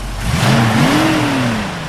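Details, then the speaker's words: 1966 Ford Mustang convertible V8: a quick, clean throttle blip rises smoothly and settles back without misses or knocks. Motor sounds healthy. "You know, it sounds good. And uh so overall um you know, the motor sounds real nice."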